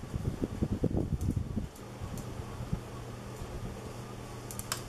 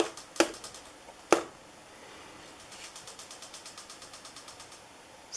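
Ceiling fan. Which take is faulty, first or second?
second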